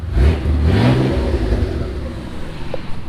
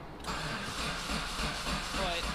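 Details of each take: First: Mitsubishi 3000GT VR4 twin-turbo 6G72, new engine running, good oil pressure, power steering cooler leaking: strong even revs climbing and settling cleanly, no knocks or ticks; sounds great. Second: Mitsubishi 3000GT VR4 twin-turbo 6G72 DOHC, new engine on stock ECU, injectors and new plugs, about 60 cranking fuel pressure: starter spins steadily but never fires; spark present, owner suspects spark timing off.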